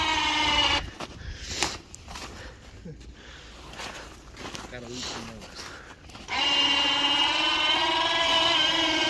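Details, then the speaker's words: Replacement Badland 2500 lb winch on a Yamaha Wolverine quad lifting the roughly 500 lb quad: steady motor whine, pitch sagging under load, sounds like it's struggling; owner suspects the battery could be the cause. Winch works, brake holds. "Sounds like it's struggling, but that could also be the battery."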